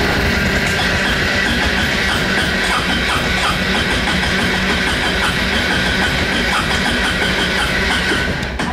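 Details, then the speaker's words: 2004 Honda Reflex scooter cold start at 14°F after sitting two days below freezing: long starter churning with uneven pulses, briefly runs then dies; usually stays running once above 1000 rpm. Hard cold start. "see as it walked up it died up once it gets above a thousand RPMs it'll usually stay running"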